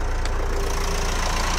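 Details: Renault Espace IV 2.0 dCi diesel just started after a fuel filter change: even idle with steady low beat and light clatter, no misses or stumbles, no fuel leak; normal idle.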